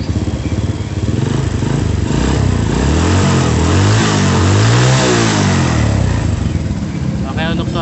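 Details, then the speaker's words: Honda Supra motorcycle after cam chain and camshaft work and carburettor cleaning: revs up and back down cleanly with no regular ticking; valve/top-end tick cured, only an irregular tok-tok remains at light throttle. "untuk suara titik-titiknya sudah sembuh."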